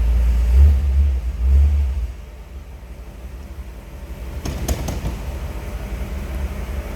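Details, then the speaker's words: 1955 Ford Thunderbird, stock 292 V8, starts easily: a brief revving start settles into a low, even idle rumble with no knocks or ticks; normal idle. "Let's go ahead and fire this up so you can hear it run. See how easily it starts."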